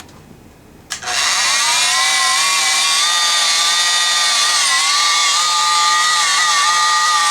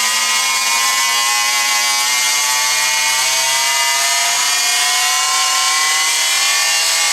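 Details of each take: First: Rockwell Sonicrafter oscillating tool after a cracked speed-control resistor was replaced: a loud, high buzzing whine runs flat out with small pitch wobbles, and speed can't be held. The owner suspects a further fault in the speed control circuit. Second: Rockwell Sonicrafter oscillating tool after repairing the speed control circuit (broken resistors, bad solder joints on the chip), run from speed one upward: constant high buzzing hum with no cutting out, pitch rising slightly with speed. Runs smooth and steady.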